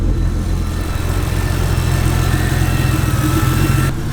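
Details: Toyota 1JZ VVTi swap on first start-up: freshly started petrol engine idles roughly and unevenly for a few seconds, then cuts out, apparently running on fuel already in the engine after priming the pump.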